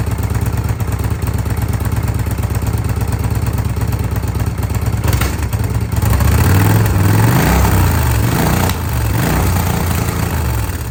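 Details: 2005 Kawasaki VN800C V-twin, about 130,000 km, first start after roughly 10 years in storage on a recharged battery and fresh petrol, oil unchecked: low, steady beat settles into a loping idle with a few throttle blips; it fires and runs cleanly, normal idle.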